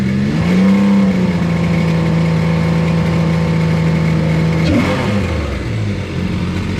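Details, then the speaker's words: 155hp Seadoo jetski engine in a converted sail boat, running after the fuel pump finally primed, which the owner suspects still needs replacing. Steady low drone, then revs drop smoothly and it keeps running evenly; smooth running engine. "Holy cow, finally. It's running. Nobody's saying it's right though. Oh, it does sound a lot better."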